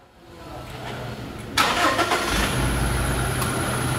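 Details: 2017 Toyota Hilux diesel, about 170,000 km, after a 10,000 km service: brief starter churn, then catches and settles to a steady even idle with no knocks or misses; healthy start, no leaks.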